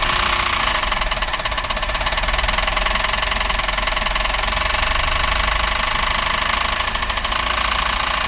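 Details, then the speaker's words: 1990 Buick LeSabre 3800 V6 at idle with the front valve cover off: a loud, fast, even heavy knock from the engine internals; bearing, lifter or rod is suspected but not identified, with oil spilling below; owner considers the engine trashed. "Okay, I'm going to try starting the car without the valve covers. See if I can tell where that terrible racket's coming from."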